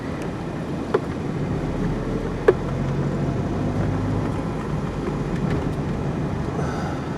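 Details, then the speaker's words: 2003 Nissan Frontier 2.4L KA24DE, FS5W71-C transmission, test drive after new clutch and pressure plate: smooth quiet low rumble, shifts nice and smooth with no grinding or whine; drivetrain normal, though a sticky lifter tap exists. "First gear goes in nice and smooth. No grinding noises."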